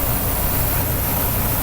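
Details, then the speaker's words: Newly installed 1.1 kW 380 VAC three-phase condenser fan motor, running current 2.2 A, with compressor running: steady even whir and airflow rush, no rattle, scrape or hum, noise now gone; normal running. "Okay. So wala nang ingay. So yan, gumana na guys with compressor or yung boom unit na."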